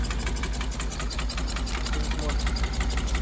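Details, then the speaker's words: 1977 GMC 6500 truck with 366 big block, cold after about 20 years sitting, ATF dumped in the cylinders and smoking heavily: low, uneven, lumpy idle that barely stays running; rough idle. "oh she's idling oh not for long well she's definitely a runner she idles a little bit smokes a lot from all that atf that we dump down in it"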